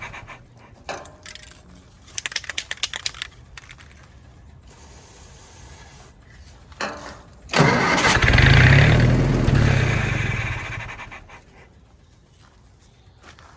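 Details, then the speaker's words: Willys-powered Army skid generator, primed, choke closed: repeated crank bursts at steady starter rhythm, then a loud surge that dies away; catches briefly but won't keep running, owner suspects gummed-up carburetor. "don't tease me like that well we may just have a gummed up carburetor let's see well i see fuel or is that my wd-40 she's trying so"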